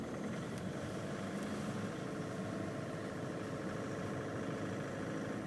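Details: 2011 Volkswagen Polo 6R TDI diesel at over 118,000 km, years after failed fuel injectors were replaced: low, even idle with a steady murmur and no ticking, knocking or misses; the engine sounds healthy.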